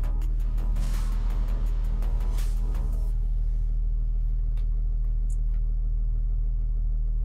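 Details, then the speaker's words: 2006 Mercedes CLK 320 CDI 3.0 V6 diesel (OM642) with limp mode fault 2513-1, first start after diesel filter disconnection: low even idle, no misses, knocks or hunting; no faults detected. "Let's start it first time. Let's let it idle for a bit."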